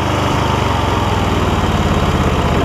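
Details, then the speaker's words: MTD Lawn Chief garden tractor V-twin, 46-inch deck, Hi-Lo Varidrive, 7-speed, idling after a little choke: runs pretty good but speed rises and falls slightly, a mild idle surge from clogged carburetor jets. "Got to choke a little bit. Runs pretty good. It just surges just a little bit."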